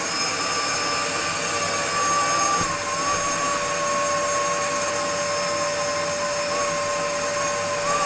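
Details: Restored Dyson DC02 DeStijl with suction restored, cleaning a floor: steady, strong rushing airflow with an even whine that holds pitch throughout. The vacuum motor sounds healthy and runs normally.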